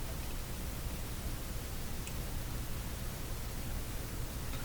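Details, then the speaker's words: Eddystone S770R VHF receiver with weak reception and distorted sound, switched to FM with some tubes pulled, during setup for IF alignment: a steady, even hiss with no tones or ticks. "I'll switch it to FM because I know FM will generate a hiss. Then we'll get the hiss to show up on the meter, kind of get some level set up."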